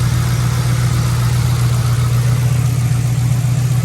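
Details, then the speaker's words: Police car at idle after two quarts of Mercon V transmission fluid were added; seller had said it had a misfire, but the idle is smooth and steady with even pulses, no stumble or shake, not yet fully warm; normal idle. "it seems to be he said it had a misfire I don't hear anything yeah maybe when it warms up fully okay as you can see it's not even shaking"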